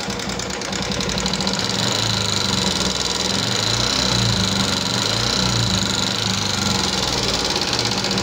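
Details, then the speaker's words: 2014 Yamaha Jupiter MX carburetor motorcycle idling with fast dry sewing-machine-like ticking from the cylinder head; mechanic suspects worn top-end parts such as rocker arm, not confirmed. "Nah jadi masih kuat di daerah atas nih teman-teman, di bagian mesin atas."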